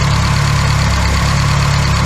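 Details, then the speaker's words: Classic Austin Mini small four-cylinder idling while being filled with coolant after first start in 9 months; steady even low idle, no knocks or misfires; radiator has a steady drip at the bottom, owner thinks it needs replacing. "well i'm just running it up um it sounds beautiful it's um yeah idling really nicely"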